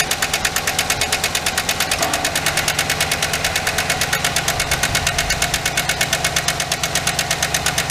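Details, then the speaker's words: 2008 GMC Sierra 1500 5.3 LS V8 running with rockers exposed and coil packs zip-tied aside: fast, even valvetrain ticking over idle, once per cam turn, from a bad, likely collapsed or stuck AFM lifter not putting enough pressure on the rocker arm. "Alright, so we see that one of the lifters is bad. Which means there's not enough pressure put on the rocker arm."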